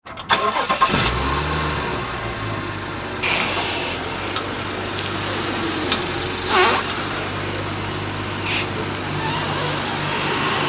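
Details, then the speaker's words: 2017 BMW 640i Gran Coupe (F12), 105,000 miles: engine idling while the steering wheel is turned, sharp scattered clicks from the front wheels. "this car is here to get service done and also it has a issue where whenever you turn the steering wheel you hear this clicking noise"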